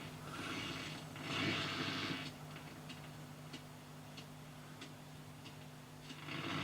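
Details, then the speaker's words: Dansette RG31 radiogram on AM: steady hiss with scattered sharp crackles every second or so at the end of the tuner's range; owner doubts a bent plate. "There is a bit of a crackle on the tuner at the end, because I think it's either, I don't think it's a bent plate, I think it's crap."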